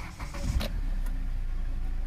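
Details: Hyundai Creta restarted after alternator fan belt reset fixed no-charge battery-draining fault, clutch pressed to start: brief crank catches quickly and settles into smooth even low idle; normal start.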